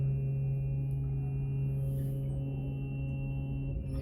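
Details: 2021 25-foot North River boat with Yamaha 300 and fuel-injected kicker motor: steady low hum for nearly four seconds after key-on, then cuts off; normal fuel pump priming before starting.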